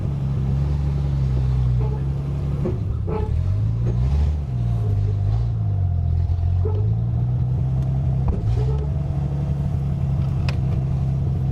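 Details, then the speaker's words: Early 1974 Triumph TR6 after years sitting, driven back and forth while warming: engine rumble with sharp clunks each time the clutch is released; clunking inside diff traced to a snapped differential mount. "Holy crap. Do you hear that? Oh my god. What is that? I think the differential is shot. Yeah, that happens as soon as I release the clutch."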